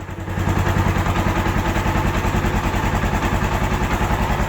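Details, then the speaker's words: Suzuki DR650 single-cylinder first run after an engine rebuild, fired almost straight away: steady, even thump at fast idle with no clatter or gearbox noise; engine running well. "running all good running really well"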